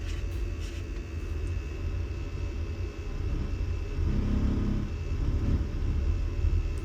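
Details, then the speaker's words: Vaillant boiler with poor hot water temperature, in service mode at maximum rate: a steady deep roar swelling with uneven rumbling; a blocked heat exchanger coil is suspected, not confirmed, with O2 at 20.9 and CO being checked. "me that sounds like a blocked coil in the heat exchanger, but it sounds different on the phone to what it did actually on site."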